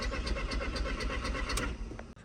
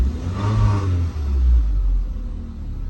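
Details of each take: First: Mk1 Audi TT, 180 BAM engine, quattro, bought non-starting with no clocks: starter churns in a quick even rhythm, about four beats a second, never catches; crank no start, owner suspects immobiliser issue. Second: Mk1 Audi TT, after immobiliser work now starting on its own: quick clean throttle blip, then drops back to a smooth settled idle without stumbling; normal revving and idle, engine management and airbag lights on.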